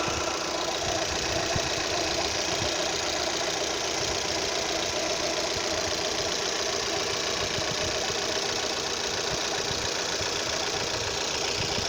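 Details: Opel Z18XER engine at idle, noise only at idle: fast, uneven light ticking, about three or four per second, over a hissy engine. The cam phaser (camshaft adjuster) is suspected, unconfirmed.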